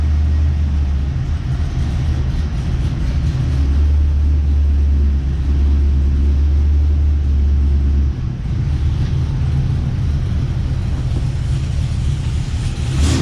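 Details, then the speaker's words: 2006 Cadillac CTS-V V8, salvaged car rebuilt, with a twin-disc clutch that won't disengage and is to be shimmed: deep, even V8 rumble with steady beat and clean revs; engine sounds healthy. "Listen to this thing. It's a good sounding Cadillac."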